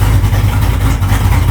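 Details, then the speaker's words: Truck V8 with an old carburettor, restarted not yet fully warm: fires right up into a firm, even low rumble with a steady beat and no stumble; normal idle. "Yeah, IT FIRES RIGHT UP."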